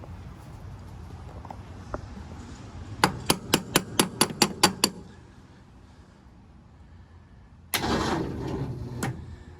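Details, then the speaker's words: 1951 Ford F1 first start attempt, radiator just fitted, no throttle given: about eight heavy, labored turns at roughly two a second dying out, then another crank; weak battery, replaced with jumper box. "right what we're going to do is try a different battery"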